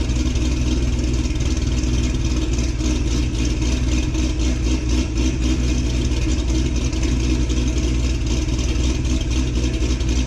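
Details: 2006 Corvette Z06 cold start before a cam swap: loud, fast cold idle with a firm, choppy cam rhythm and no knocking or rattles; strong, healthy cold-start idle.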